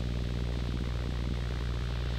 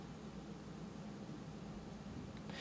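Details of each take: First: Rode NTG microphone powered over USB from a USB Type-A charger, with output over an analog cable: constant loud hiss with a low electrical hum underneath, electronic and ground-loop noise from the USB power supply. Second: Rode NTG USB-powered microphone with analog output, powered from a standalone USB 2.0 charger: only a faint, even hiss with slight low hum, no whine or buzz; clean noise floor, power source and cable type affect noise.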